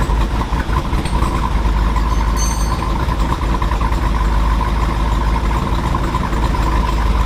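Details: 2022 Jeep Wrangler Rubicon 392 V8, 2,000 miles, aftermarket cam, ported and polished big-valve heads, on dyno in 2WD with front driveshaft removed, heard from rear: deep heavy idle with choppy loping exhaust beat, steady and even; healthy.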